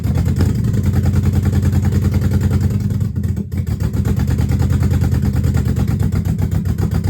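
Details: Dodge Magnum with a rebuilt/swapped Hemi V8, exhaust not yet connected, only O2 sensor codes left: loud deep drone with an uneven, lumpy pulse and a brief dip midway; runs rough, owner suspects the missing exhaust, unconfirmed.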